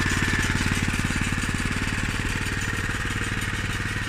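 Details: Honda GX160 engine on a 1998 Honda F560 single-axle tractor after carburetor replacement; previously ran rough at low rpm and died off choke. Now crisp, even firing pulses at a steady pace, no hunting or stumbling, off choke: normal running.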